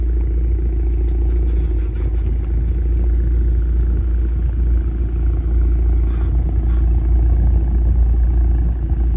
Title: Weird noise coming from bmw going over bumps . Help! #automobile #suspensionsystem #help #f36 #b46